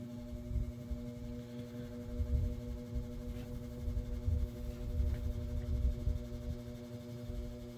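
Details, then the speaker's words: Westinghouse AT12-1 12-inch oscillating table fan, late 1960s/early 70s, two-speed shaded-pole motor, stationary on low: steady low hum with buzzy edge under fan noise; motor buzzy, run long unoiled, bearings likely worn. "Motor's quite a bit buzzy. It definitely shows its age."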